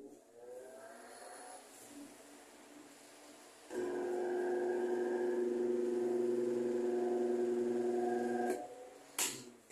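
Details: Mallory TS 40 fan after new bushings fitted, turning smoothly: steady buzzing hum of stacked tones only on speed 2, no rubbing or knock; stator suspected faulty and to be replaced.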